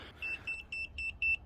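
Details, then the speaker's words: Multimeter used for voltage checks on an ignition circuit (about 12.4 V battery) of a Kawasaki GPZ900R barn find: five short, evenly spaced high beeps, about four per second, then quiet. The meter's auto power-off warning. "what's this beeping at it just thinks I've left it on for too long oh well"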